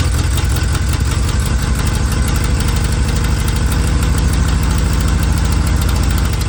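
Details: Vanagon broken down on forest road: long, steady, even starter cranking that never catches; no fuel getting through, failed fuel pump, later replaced.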